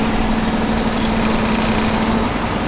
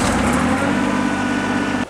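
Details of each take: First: John Deere 755 compact tractor running a hydraulic leaf vac material collection system, after a soldered repair: a steady, even rumble with no stumbles or knocks at a constant speed; normal running. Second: John Deere 755 tractor on a cold November day, PTO not engaged: steady engine drone that cuts off dead within two seconds, as if fuel were shut off; fuel pump heard running, oil pressure light on with plenty of oil. Cause unknown.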